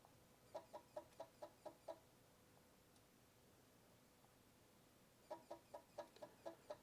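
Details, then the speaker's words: Power supply under repair after a short sent voltage over 400 V: bursts of about seven quick chirps, silence, then another burst; supply keeps trying to start and shutting down in hiccup mode. "Yeah, this is bouncing around. It's not going too too high, but that does not It sounds like it's trying to start."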